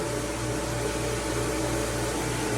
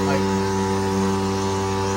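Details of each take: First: Jandy Pro Series Flow Pro 2.0 pool pump motor after its bearing was replaced to cure a loud humming from the filter housing: even, smooth run with a soft low pulse around three per second, no drone or grind; the repair worked and the pump sounds healthy. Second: Jandy Pro Series Flow Pro 2.0 pool pump motor before repair, at start-up: a loud, steady humming drone from the motor and filter housing with fixed tones and no knocking; the owner suspects a worn motor bearing, and replacing it later cured the noise.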